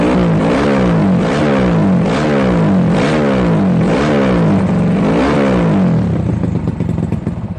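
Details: Yamaha Jupiter Z bored-up engine used daily, fresh oil, new spark plug and fuel: loud raspy exhaust blipped about every 0.75 s, revs rise and fall cleanly, no knocks, then winds down; normal running with revving.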